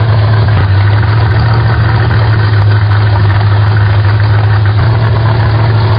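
Steady low idle with an even throb and no misses or knocks, the engine settling at its adjusted idle speed.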